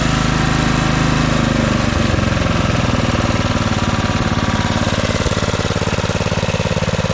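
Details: 1997 Craftsman II 30" rear-engine riding mower, 13.5 hp Tecumseh engine, test run mowing after a little cranking: even, steady single-cylinder thumping, no misses or knocks; carb running great, smooth and quiet. Normal running.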